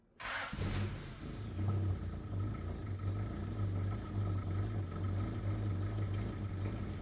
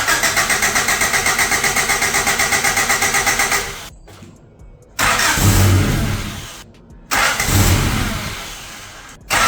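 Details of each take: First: Abandoned high-mileage Honda CRX after plugging back in a missed connector, with new timing belt and spark plugs: brief crank, then smooth, steady low idle without knocks, misses or ticks; runs perfectly. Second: Abandoned high-mileage Honda CRX after timing work and reassembly: starter cranks steadily about four beats a second, then three short tries without catching; timing ruled out, fuel suspected, but cause was unplugged connectors.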